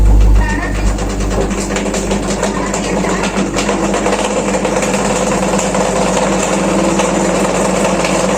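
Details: Washing machine during spin: a loud, steady droning roar like a generator running.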